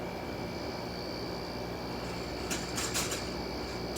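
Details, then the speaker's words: Window air conditioner running: steady fan hum with tonal drone, then brief buzzy rattles; the fan cage is vibrating, suspected, not confirmed. "oh wait no it's not it's the cage it's the cage that's vibrating"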